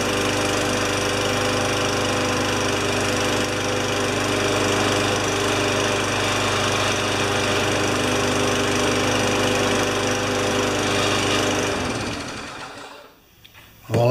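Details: Free low-hours single-cylinder mower after a spark check: it holds a steady, even beat at constant speed with no misses, then shuts off near the end, running healthy.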